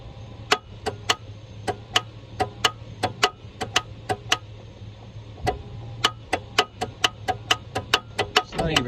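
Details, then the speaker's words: Vehicle whose starter wires were just removed, cleaned and refitted (sparks on battery connection); repeated sharp clicks in bursts with no cranking or firing; starter only clicks, owner wonders if the engine is seized, cause unconfirmed. "don't just tick at me damn it keep cycling it"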